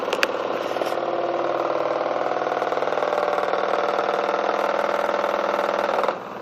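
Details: Newly bought Miele washing machine on a non-concrete floor, spinning 1.6 kg of dry laundry: a loud, fast drumming rattle and hum that began 2–3 weeks after purchase. The owner suspects weak plastic connectors.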